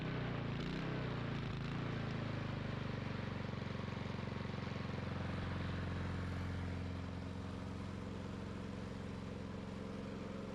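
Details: Lawn mower after carburetor work, started with a drill with the cover off. A small single-cylinder engine buzzes at a steady speed and won't shut off when the bail is released; the plug wire had to be pulled to stop it.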